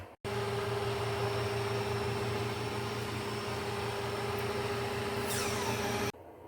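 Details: Older Kenmore model 610 refrigerator after replacing noisy evaporator fan motor with modified aftermarket motor: steady even hum with clean mid tone, starting and holding without wobble or scrape; fan motor runs smoothly.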